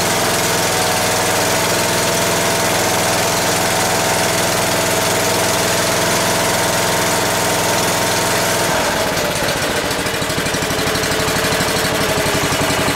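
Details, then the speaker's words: Long-sitting, non-running Ford garden tractor small engine: steady drone then note drops, ragged and chuffing as it falters; fuel starvation suspected, fuel line clipped to check whether the carb bowl fills fast enough. "think it might be starving for fuel I want to see if the uh fle has any fuel on so I clipped it off right there and we'll see if it's just not filling up fast enough to keep it running or if we have another issue"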